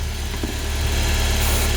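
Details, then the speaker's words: Car engine at idle, warm, after treating the oil-contaminated serpentine belt: low, steady idle with no squeal or chirp; the belt noise is gone. "声音有没有？没有了，对不对？伊迄就是迄个啥，皮大油，你知道？"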